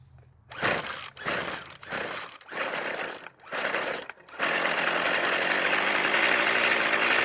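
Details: Poulan Pro pole saw, once seized and submerged, flywheel key repaired, started on fuel poured into the carb throat: choppy pull-start bursts, then a busy, rattly buzz like marbles rolling. Owner suspects bearing damage from water, not confirmed.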